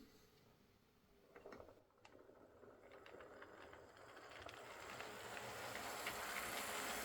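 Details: Old Lima Class 40 model locomotive in BR green, after repair with a completely replaced motorised chassis (original front bogie faulty, wouldn't run): faint even mechanical whirr rising smoothly as it pulls away slowly, light gear ticking, no binding; quiet, normal running.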